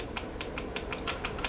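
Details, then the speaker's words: Losi 8T RC truck, stock .28 Dynamite engine, gear mesh checked after backplate reinstall by holding the spur gear and rocking. Light, evenly spaced plastic clicks about five a second showing slight play; normal, well-set gear backlash. "That just seems about perfect to me. You just want a little bit of play in there, so it's not too tight, as you can see."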